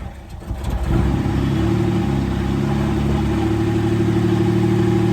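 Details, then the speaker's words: Camaro V6 first start after fixing a no-crank and checking the fuel pump relay: catches within a second and settles into a steady fast idle about 2,500 rpm, no misses or knocks; idle a little high. "It is idling a little high. Where is it at? About 2,500 RPMs."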